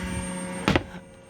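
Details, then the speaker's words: Hymer Venture S 2023 motorhome, pump labelled "X Pump prototype noisy" in the double-floor electrics: steady low hum with a faint high whine, a sharp clunk, then the hum dies away; noisy pump hum. "it says X Pump prototype noisy"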